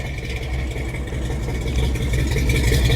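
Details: 1966 Chevy C10 V8 with finished 3-inch exhaust and Flowmaster Delta 50 mufflers: deep, even idle burble with a steady low tailpipe rumble; runs smooth and healthy.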